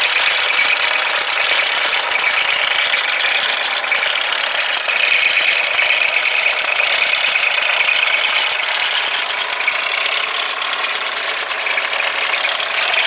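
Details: Mazda CX-5, dealer-serviced since new, belt previously broke: a fast, uneven ticking rattle about two per second over hissy engine-bay noise at the engine; source unclear.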